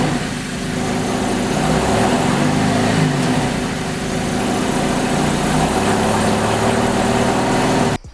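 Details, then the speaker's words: V6 Camaro on a newly installed 80mm throttle body with adapter plate, not yet retuned: uneven, wavering idle note that sags as if about to cut off; rough idle. "Okay, so it definitely sounds different. Sounds like it's trying to cut off. I am pretty rough. Pretty different. It sounded kind of rough."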